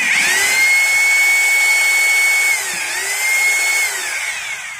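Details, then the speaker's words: Maktec MT870 rotary hammer drill in concrete mode with a screwdriver locked in the chuck: high, smooth motor whine that dips and recovers, no pulsing blows and no vibration felt in the hand. The concrete (hammer) mode isn't working. "Now you can see for yourself that there is no vibration at all yes, in my hand there is no vibration at all, that means the modem for concrete doesn't work, there's no mermaid, okay guys."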